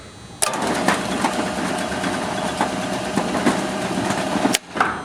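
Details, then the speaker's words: Overhead rolling fire door with LiftMaster LM21XP operator, during limit setup: steady rumbling roll for about four seconds, then a firm single thump as the door stops cleanly at the set upper limit. "Okay, that's pretty much that's I'm not going to push it. So that's the upper limit is completely set."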